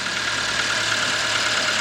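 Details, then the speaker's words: 2006 Toyota Corolla 1.8, previously cranking but not starting. After replacing blown 20A and 15A fuses it holds a steady, even idle with a constant hiss and no misses or knocks. It later ran about half an hour fine; the wiring still needs fixing. "i'm gonna let it run for a little while to make sure everything is good and then we'll be right back"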